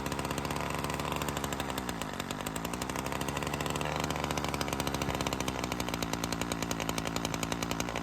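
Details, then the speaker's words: Ryobi CS30 two-stroke string trimmer on an aftermarket carburetor, tipped on its side air filter up: fast popping idle sags and turns blubbery, running rich, then recovers; owner attributes this to the carburetor leaking. Rich idle drop. "The big problem I ran into is if you tip it on its side, air filter up, the idle goes down and starts running rich."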